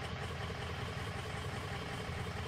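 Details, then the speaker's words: 2003 Ford F350 6.0 diesel that starts, runs rough, then stalls: lumpy uneven idle with loping clatter as cylinders drop out; combustion gas entering fuel via failing injector sealing washer/crush sleeve, often after injectors worked on without torque wrench. "somebody's worked on the injectors and not used the torque wrench it'll it'll do this then that the crush sleeve the ceiling washer that's against the head or against the injector cup it's f"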